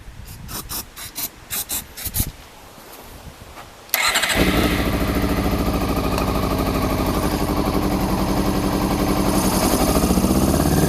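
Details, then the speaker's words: Honda CBR400RR NC23 inline-four, fuel poured in by hand with starting spray, fuel pump not connected: several starter bursts, then lumpy uneven idle rising with throttle; firing only cylinders one and two, headers three and four stone cold. "right believe it or not that was only firing on cylinders one and two"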